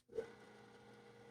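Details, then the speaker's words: Data General 6039 dual 8-inch floppy drive at first power-up after its capacitors were reformed and the motors cleaned: a click at switch-on, then a quiet, steady, continuously spinning motor hum with no scraping or wobble; the drive motors sound healthy. "Oh, that sounds really, really good. So, 8-inch floppy drives constantly spin the motors. Those sound fantastic."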